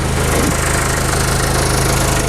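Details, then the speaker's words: Mazda Bongo with intermittent no-start after sitting a day or two and battery drain, running after a hard start, smoking heavily, air filter housing top off: loud clattery running, uneven pulsing beat, harsh edge. Rough running after hard start. "so we've tried again a bit of start your bastard it's got the bloody thing running it's absolutely smokes out of the place"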